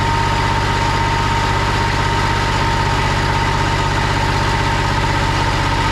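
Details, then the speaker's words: 2001 Kawasaki Mule 2510 diesel at idle with a loose, steady rattle on every firing pulse, about three per second. It went away with slight throttle and was gone with the clutches off, pointing to a worn CVT drive clutch bushing. "Now this machine rattled really bad at idle. It would go away once you gave it a little bit of throttle, but I wanted to confirm whether or not that was coming from the clutch"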